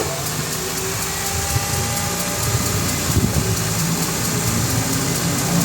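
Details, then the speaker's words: Honda Civic FD jacked up with engine running, right front wheel spinning: light, rhythmic metallic scraping over engine rumble, from the bent brake dust shield rubbing the rotor; customer suspected wheel bearing, also a noise at 50 kph. "Narinig niyo mga boss parang may kumakaskas galing dito sa preno niya or sa rotor disk."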